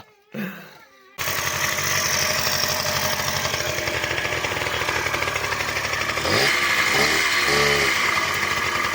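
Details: Two-stroke scooter after long storage, now started after the carburettor was cleaned and the plug changed: steady buzz at fast idle, note wavering briefly as the carburettor intake is covered by hand, then running evenly.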